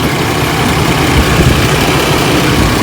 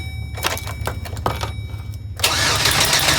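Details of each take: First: 4.3L Vortec after oil pan gasket replacement idles with a steady, even low rumble and no knocks, misses or ticks; a slight exhaust manifold gasket leak is suspected. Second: 4.3L Vortec with P0301 code after engine replacement, first start attempt: starter cranks at even fast rhythm in two long bursts with no firing; ignition coil plug was not connected, so no spark.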